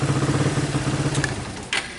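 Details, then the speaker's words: Suzuki Satria FU, after fixing a no-start caused by a miswired red ignition-switch wire, catches on the starter and runs at a steady, even single-cylinder putt of about eight beats a second. Ignition is normal again; normal start and idle. "Ini tinggal kita pasang dan projinya udah normal. Tuh. Oke. Dan pengapiannya pun udah normal."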